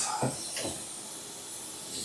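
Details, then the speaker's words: Tyre machine during Ford Zephyr Mk3 wheel work: steady high airy hiss under a couple of brief clunks, like compressed air escaping from the machine; air leak suspected, not confirmed. "The tire machine sounds like it's leaking."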